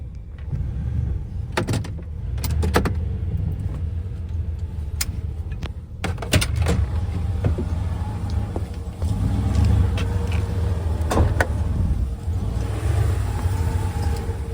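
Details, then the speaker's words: Ford F-150 (OBS) at idle: a low, uneven idle that sags and surges with loose knocks, nearly stalling. It also skips while driving, at red lights. The owner suspects the idle air control valve; low fuel pressure is unconfirmed. "Well, you guys can hear that truck is struggling to idle, and it even does it while I'm driving as well."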